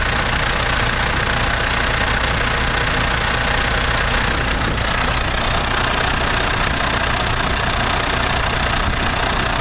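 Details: International Harvester TD-7 Series C bulldozer diesel, first start after rebuilding its Bosch VA4 injector pump, with starter fluid: steady, even diesel clatter at idle of about two and a half knocks a second, no stumbling or surging. Normal running.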